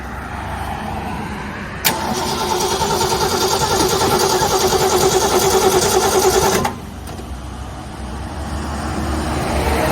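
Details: Ford Galaxie with new battery and new starter solenoid: starter cranks steadily around 200 turns a minute for five seconds, never catches; crank-no-start, no spark from dirty ignition points.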